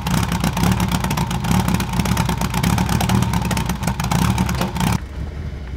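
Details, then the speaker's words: 1975 Toyota Corolla KE35, heard inside: idle won't settle, revs hunting up and down with a ragged beat, after 99-octane fuel added; previously idled fine. Owner suspects air-fuel mixture or vacuum hoses, unconfirmed. "so we're inside now and you can see so this is this is idling you can see it's sort of trying to seek it's very like up down up down um and because of that I'm thinking it's air I think it's air fuel"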